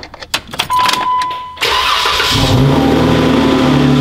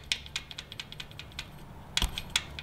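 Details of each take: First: Jeep Wrangler 3.6 L Pentastar after replacing a broken rocker arm to fix the rocker/lifter tick: cranks, catches quickly and settles into a smooth, even idle with no ticking; repair successful. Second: Jeep 3.6 L Pentastar, engine off: light irregular metallic clicks as the last rocker arm is shaken with almost no finger pressure, showing excess play compared with the other rockers; a collapsed lifter/broken rocker, the common Pentastar tick.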